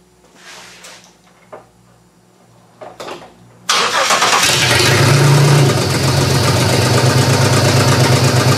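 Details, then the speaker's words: GM 3100 V6 in a Camry derby car, first start-up, running better but still lumpy at idle after cranking and catching. Owner suspects nearly two-year-old gas as a main cause; cause unconfirmed. "well I've got it running better it still doesn't sound that right to me"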